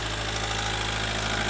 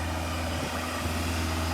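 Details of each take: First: Ford Galaxy Mk4 2.0 TDCi diesel, previously non-running, idles with a steady hard injector knock that quietens as injection corrections are relearned during a diagnostic service procedure, before a DPF regeneration; no smoke, clean smell. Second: Ford Galaxy Mk4 2.0 TDCi diesel held at about 2,500 rpm during a static DPF regeneration after the no-run fault was fixed: even raised drone with no misfire or injector knock, injectors coded in, no misfire codes; normal high idle.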